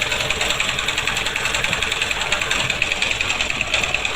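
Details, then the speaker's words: Honda XBlade 160cc motorcycle idling with a fast, bright metallic rattle. The clutch basket runs visibly off-centre and wobbles, causing vibration and gear noise. "দেখুন কীভাবে vibration করতেছে class বাড়ি। এই দেখুন centre কতটুকু out, কতটুকু centre out দেখেন, দেখছেন।"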